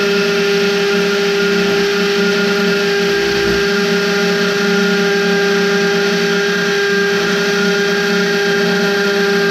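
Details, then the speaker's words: Hammer drill with 6.5 mm masonry bit boring into a brick laundry wall: loud steady rattling buzz with fixed high hum, the hammer action rotating and pulsing in and out, ricocheting off the brick; normal drilling. "that's the hammer action so it's going around and around around like a normal twist drill and it's going in and out in and out that's that loud noise you hear it just ricocheting off the brick as it as it drills in hammers in"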